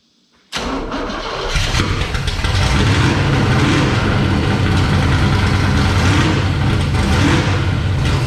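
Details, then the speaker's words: 1966 Bel Air with a 461 big-block Chevy, newly installed headers, first start before belts, water and alternator are hooked up: quick crank, catches at once, then a loud, open, steady idle with no misses; sounds good. "Alright, so y'all just heard it fired up. Sounds good."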